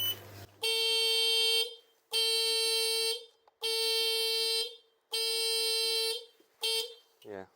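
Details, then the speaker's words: 2007 Piaggio MP3 scooter that no longer starts: loud high-pitched beeps about a second each with half-second gaps, repeating; the alarm is sounding, suspected to relate to the tilt-lock or handbrake, unconfirmed. "is it an alarm or I think it is an alarm yeah is it something to do with the handbrake or something it's I think it's something to do with the tilt"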